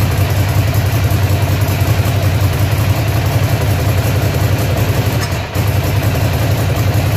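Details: Ducati Monster (696/795/796/1100 family) V-twin at idle: loud, low uneven stumbling beat instead of a steady thump; engine misfire at idle.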